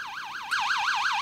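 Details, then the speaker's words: 6A/12860 stall warning tone generator, early 1970s, possibly from Avro Shackleton prototype WL745, bench test 50 years on: warbling tone rising and falling about six times a second, then relay click as angle of attack exceeds stall and tone steps louder; working correctly. "Actuellement, la situation est normale. L'angle d'attaque est inférieur à la condition de décrochage. Alors augmentons l'angle d'attaque."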